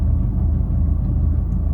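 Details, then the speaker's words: Fiat 500 (Cat S repair) running on premium petrol with Redex added; the owner plans to check whether the original or the new coil pack is fitted: low, lumpy idle with uneven thumping and a wavering rumble; rough idle, cause unconfirmed. "sounds like a dog it doesn't sound good when it's idling"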